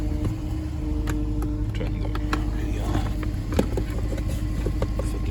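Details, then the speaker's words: 2009 Infiniti FX50 at low idle after start: uneven, stumbling beat with irregular dips under the exhaust drone. Pending code P0302 shows a cylinder 2 misfire from a failed ignition coil. "oh you can hear it's tumbling it's struggling 214 to 89."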